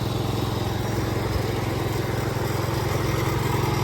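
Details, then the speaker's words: Cub Cadet 122 single-cylinder, sat for years, running after a new coil and carburetor with only the idle fixed: loud, even putter with regular firing, no misses or knocks, slight smoke; normal running. "I just have the idle fixed on the carburetor, but it runs really good. Doesn't smoke too much."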